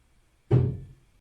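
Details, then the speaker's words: Tesla Model 3 during an over-the-air software update, parked, screen showing "updating electronic control units" in the battery: one sharp deep thump out of silence, dying within half a second, the battery contactors closing, normal during an update. "updating electronic control units and a huge huge bang coming from the battery it can be quite startling whe"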